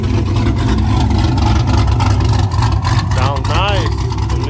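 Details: 2016–2020 Camaro SS V8 with a Rev 9 axle-back exhaust, after fixing a small header exhaust leak once mistaken for a lifter tick: a deep, even rumble with no rasp, rattle or leak tick; exhaust healthy.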